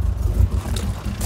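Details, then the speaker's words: R33 Nissan Skyline fitted with a bigger turbo and reprofiled injectors, running on base map: deep lumpy, stumbling burble like a tractor; rough running, owner suspects an exhaust leak, others suggest the mass airflow sensor. "okay now this thing sounds like a tractor i think it's got a bit of an exhaust leak that can't be good"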